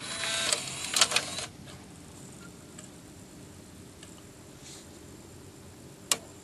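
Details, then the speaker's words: 2008 Pontiac Grand Prix CD stereo after a tape fix so discs are held in place properly: a short whirr and clicks as the disc loads, then quiet spinning with no tape rubbing; the mechanism works properly. "Awesome, and I don't hear the tape actually rubbing up against anything either."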